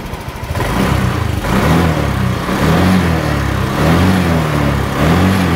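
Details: Honda Vario 125 injection scooter after repair, rocker arm (platuk klep) replaced: even putt at idle rising smoothly with light revs and falling back, no top-end clatter; normal running.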